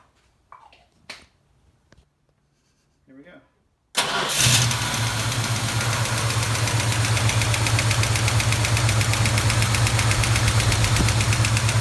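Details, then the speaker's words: 1973 Plymouth Duster 360 V8, valve cover off at cold idle: steady light clacking about four a second; a pushrod found not rotating, pointing to a sticking hydraulic lifter. "that was not moving think that's where our problem is definitely sound like the flash coming from in here this is the one that wasn't moving"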